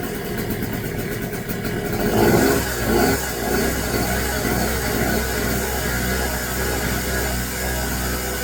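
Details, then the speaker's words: New Pulsar 1200W generator just started with choke fully closed: buzzy raspy weed-whacker-like drone settling to a fairly steady speed, slight sputtering, not super quiet. "It almost sounds like a little weed whacker. It's not super quiet."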